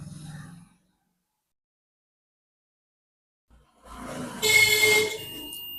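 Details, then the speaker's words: A transistor removed from a 3055 transistor amplifier gives a steady half-second continuity beep across collector-emitter, confirming a short. It is to be replaced. "तो आप देख पा रहे हैं ये collector to A metre जो है शॉर्ट दिखा रहा है तो मैं इसको बदल लेता हूं"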